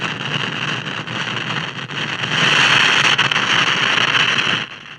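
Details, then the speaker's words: Mid-1960s General Electric AM/FM vacuum tube table radio with loud hissing, crackling, popping thunderstorm-like static. Likely silver mica disease: capacitors inside the IF transformer cans arcing. "well some of you might recognize that thunderstorm type sound well that's probably silver mica disease where the capacitors inside these cans go bad and kind of arc"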